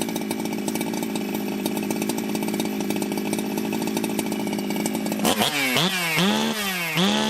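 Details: Ported Jonsered 2071 chainsaw after rework; it had run poorly, like an air leak with a hot case, but no air leaks were found. Steady high buzz, then several revs up that drop back cleanly; strong and responsive: normal running.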